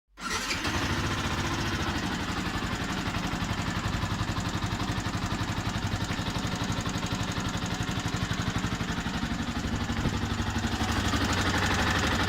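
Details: Yamaha YZF-R125 single-cylinder idling with a quick, fairly even tick of about four per second riding on the exhaust beat; owner suspects the camshaft, not confirmed.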